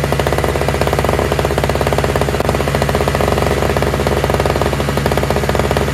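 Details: Toro/Craftsman single-stage two-stroke snowblower with electric start, running on fresh mixed gas after priming; crisp, evenly spaced firing at steady speed with no misses or knocks; all it needed was gas.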